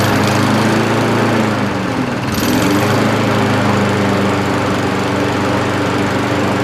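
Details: Old Mountfield push mower with entry-level Honda vertical-crankshaft engine, after cleaning debris from carburettor float needle valve to stop leaking: steady even single-cylinder drone, constant beat, no misses or surging; normal running.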